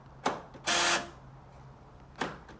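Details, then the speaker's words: 2009 Nissan Note, UK left-hand passenger-side door lock actuator: sharp click then a short harsh buzz when locking; the noisy actuator is being replaced. "the reason i'm changing it is because it's decided to to be noisy when you lock it"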